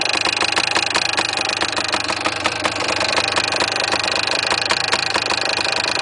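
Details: Yamaha DT400 two-stroke at steady idle: a sharp, irregular metallic rattle ticks over the top, something loose inside the engine. The cause is not yet known and the owner plans to open the engine.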